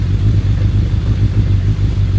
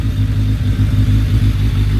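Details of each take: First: Suzuki Bandit 1200S, started on choke with a jumped battery, settling to idle: steady deep rumbling idle with an even low churn underneath; owner attributes it to the clutch basket, possibly the SACS cooling system, uncertain. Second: Suzuki Bandit 1200S with SACS cooling, a new battery and fresh mirrors, warming up ahead of a ride: a steady, even low four-cylinder rumble with no misses or knocks, a normal healthy warm-up idle.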